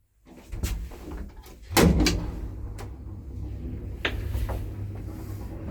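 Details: Mid-1970s Daka traction lift with no inner doors serving 10 floors: low motor hum under the car with a few sharp clunks and thumps as it travels; abnormal running noise, cause unclear.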